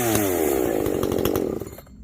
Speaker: i've never heard a 590 do that you can hear it going all the way up you can i mean i hope you can hear it on the video you can hear it ring you know before it always blubbers out